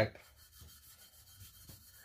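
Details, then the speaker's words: 5.3 LS engine valve being lapped by hand after grinding was loud: soft quiet back-and-forth rubbing with little grit left, the grind almost gone as the valve seats evenly, before switching to fine compound. "how that grinding is almost completely gone away we're gonna clean this off and get ready for our fine compound next"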